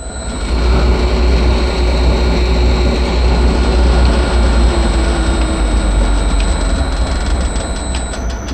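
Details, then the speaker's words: Three-phase motor run from a VFD at a 16 kHz carrier frequency (factory setting; drive goes up to 32 kHz): thin steady high-pitched carrier whine over motor hum. "they're like silent they you can even hear the whine of the VFD but this one goes up to 32 so I'm curiou"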